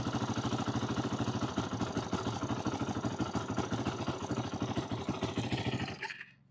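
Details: 2008 Yamaha YFZ450, a pieced-together ATV with the idle turned up and choke on, possibly low on gas: a lumpy single-cylinder idle thumping about 200 per minute falters and dies near six seconds while the carburetor leaks badly. Rough idle and stalling, carb suspected.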